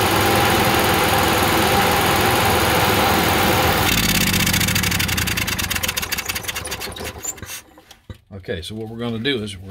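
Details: Onan QG 5.5 RV generator, cover off, started after fuel pump prime with choke pulling off; fires and runs strong and even, then winds down; normal running after start.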